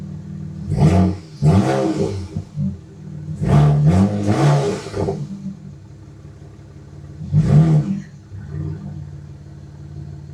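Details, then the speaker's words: BMW 335i with CTS turbos after rebuild (new rod bearings, timing chain, gaskets), transmission swapped, revved above 3,000 rpm: uneven shaky blips at the top; suspected misfire, later traced to a failing DME. "It might be misfiring. It feels a little shaky."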